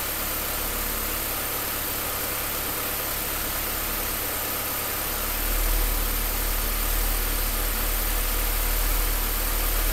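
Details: Idle beat wobbles unevenly at about three to four pulses a second with a slight swell midway; rough idle.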